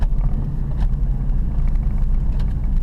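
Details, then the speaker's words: 2006 Dodge Dakota driving after the front wheel bearing replacement (old bearing seized internally and to the knuckle, and had been howling badly): steady low road rumble with no howl or groan rising with speed; quiet bearing. "But we are looking good, sounding good, brakes work perfectly, there's no more groan. It was really howling, it was really, really bad before."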